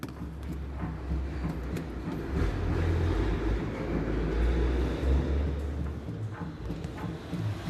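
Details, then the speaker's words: Citroen C3 with a complaint of suspension noise over uneven ground; the body is rocked with a wheel chocked. Dull low clunks come about three times a second, traced to a worn front sway bar bushing. "realmente alguns tá com cara de nova mas a bucha da barra estabilizadora tá com fome Olha aí ó aqui a bucha da barra que tava tendo um som"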